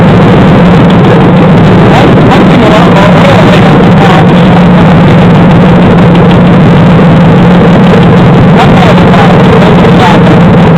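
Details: 2007 GM 5.3L LH6 V8 with DOD/AFM, idling with passenger valve cover off: loud clattery idle with busy ticking valvetrain; number 4 DOD lifter locked down (collapsed), common problem.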